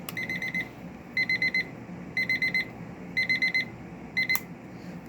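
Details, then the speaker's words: Around midnight, an alarm clock heard from a neighbor's garage, possibly reproduced with a similar clock: bursts of four quick high beeps about once a second, repeating steadily. A normal alarm clock beeping, though the garage sound was lower-pitched. "outside working on my car and I hear what appears to be a alarm clock over my neighbor's garage"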